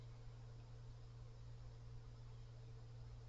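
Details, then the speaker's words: Cooler Master Mobius OC 120 PC fan at maximum speed, partly blowing into the microphone: steady low hum with a fainter higher tone over the airflow; harmonic resonances of unclear cause. "oh there's a Harmon residence there's also another noise and I I'm not sure how to describe"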